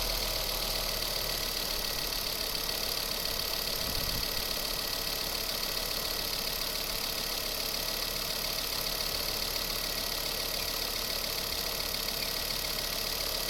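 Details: Ford Focus ST Mk2 engine making sharp, quick ticking of a few per second over a high, hissy idle. Traced to leaking exhaust manifold gasket and bolts, although a service department had called for a turbo replacement.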